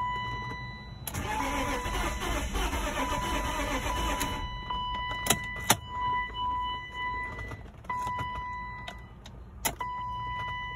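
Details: BMW E34 Touring wagon parked about 7 years: starter spins the engine evenly about three seconds, never catches, then door chime dings; crank no start, fuel delivery suspected, fuel pump needs replacing, not confirmed.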